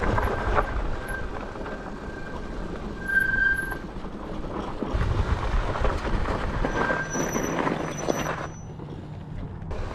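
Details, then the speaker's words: Juiced HyperScorpion electric moped: brief high-pitched front disc brake squeals over rolling and wind noise. Owner suspects the stock Tektro pads' formula. Fitting low-noise pads largely removed the squeal; the rear pads are still to be replaced. "so as you can see the noise is almost completely gone and i just need to replace the brake pads on the back tire now and i think it'll be silent"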